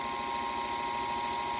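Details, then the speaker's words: Restored Singer 221 Featherweight after completed electrical service: steady, even motor hum with constant mid-pitched tone and light whirr, no catches or grinding; went from not working to humming normally. "to humming right along. Beautiful."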